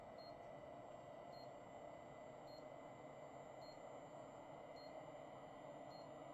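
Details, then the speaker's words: Pentium 4 3.2GHz Advent PC, EZCOOL 400W ATX-400 power supply after fitting a new fan: soft steady whoosh of air with no rattle or grind, faint regular tick; fan quiet and healthy, quieter than before. "so it's not the quietest power supply in the world but it's fairly quiet it's definitely quieter than it was"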